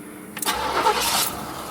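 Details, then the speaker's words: 1977 Cadillac Seville, 5.7L 350 V8, showing 39K miles: brief crank, fires right off and settles into a quiet, even idle, purring, though the idle might be a little low and the battery possibly low; normal start. "on he fires right off sits there and purs like a kitten I think the idle might be a little low"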